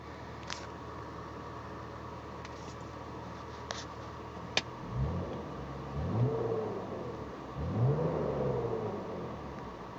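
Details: BMW E39 petrol engine revved in repeated bursts, with an odd droning tone rising and falling with revs and the oil light blinking; the cause is unknown, an abnormal noise under acceleration.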